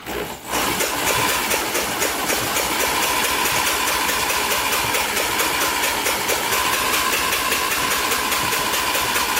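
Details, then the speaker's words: 1987 Yamaha Warrior 350, previously seized engine spun over, spark plug removed; high even whirring with light ticks, no binding, turns freely; binds only with plug fitted. "it was fine with the spark plug out so we'll try to take the spark plug out and see if that that makes a difference maybe something to do with that"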